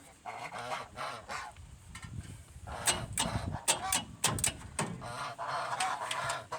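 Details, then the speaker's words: 1971 Chevrolet C20 with a swapped-in 454 big block, which replaced a 402 that dropped a valve: harsh, squawky, grinding starter engagement on each crank. The starter has been shimmed every way possible without fixing it; the owner plans to replace it and fears flywheel damage. "Well, you need to work on that squawky starter. Yeah, I'm going to change that starter."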